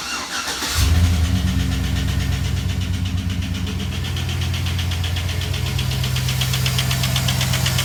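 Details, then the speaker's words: 2007 Silverado 5.3 L at idle: sharp tick about four times a second over the rumble from a cylinder six intake lifter that lost hydraulic pressure. The valve does not fully open, but the engine still runs; the lifter is to be replaced. "so that's what it sounds like when cylinder number six intake ex uh the intake valve that's the one that's not opening up all the way uh the lifter didn't completely demolish or anything it just lost pressure like I said"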